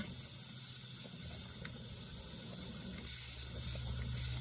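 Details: December 1987 Coleman 508 pressurized camp stove, lightly restored, lit: even, steady hissing roar with a low rumble, no sputtering or surging; burner running cleanly.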